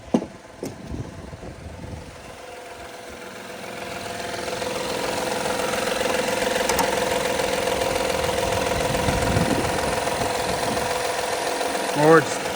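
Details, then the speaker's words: 2016 Honda Accord EX-L 3.5 V6 started after catalytic converter replacement, no exhaust leak heard: constant light rattle at idle, belt tensioner first suspected then judged fine; thought to need valve lash adjustment, unconfirmed. "Needs a valve blast adjustment, but that's out of my scope."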